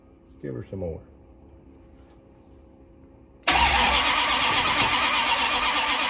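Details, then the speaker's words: 1972 Dodge D100 with a new solid roller cam and Speedmaster heads, after re-phasing the rotor and distributor: a loud ragged crank that barely catches and never settles into an idle; the battery had been charged for an hour. "Oh, that's a freaking battery charge. Battery's charged for an hour. Hopefully, it'll finally start."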